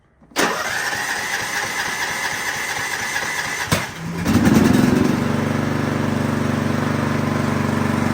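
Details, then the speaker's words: Riding mower, cold, on full choke and full throttle with the parking brake on. It starts easily when warm, but now needs over three seconds of cranking before firing and settling to a steady idle: hard starting because the choke is not closing. "All right, so this is a good enough of a mower, and when it's warm, it really starts easy, but it's on full choke and it's not starting."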